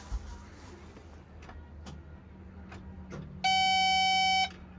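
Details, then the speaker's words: Excavator left sitting for months will not start: one steady high electronic beep in a quiet cab, no cranking, after jump leads are connected with the kill switch on; they suspect not enough power or a poor connection. "Okay, I don't think it's enough power. Okay, it's not enough power. Maybe our connection isn't good."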